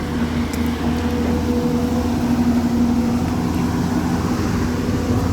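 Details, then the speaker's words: Excavator, nearly new at about 1000 hours, diesel set at 1700 rpm: while digging or lifting the boom the rpm breaks down and the engine nearly stalls. Steady, low, labouring drone with a faint hum, lugging. Cause was clogged diesel filters starving fuel, fixed by replacing them. "ये देखो आवाज़ आ रही है, engine लगता है बंद होने वाला हो जाता है जैसे।"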